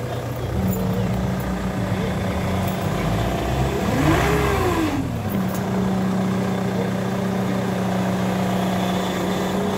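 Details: Ford Mondeo engine with a steady low whine that sweeps up in pitch on a quick rev blip, from a faulty power steering pump.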